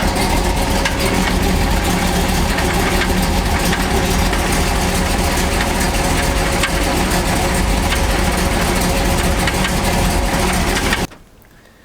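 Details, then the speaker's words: Chevrolet C10 V8 on a driving test. Loud V8 with a rough, uneven knock about three or four times a second over the exhaust; owner suspects the flex plate but is unsure of the source; engine knock. "So now it's making that sound. It sounds so much like the flex plate is bolted on."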